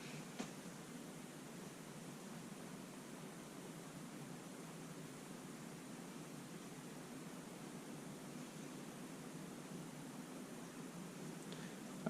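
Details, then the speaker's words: GoPro recording during a quiet stretch, microphone possibly covered: steady, even hiss and static throughout with no voice or machine behind it. "there's a lot of static and hissing noises in the background of my gopro recording"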